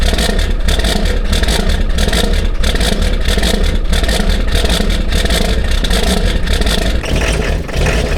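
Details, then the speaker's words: Diesel at 18°F, sitting since 2017 with old diesel: extended rhythmic cranking about three beats a second without catching; owner suspects dead glow plugs or old, possibly gelled diesel. "You might have every bit of none of some of the glow plugs. It's either that or that diesel."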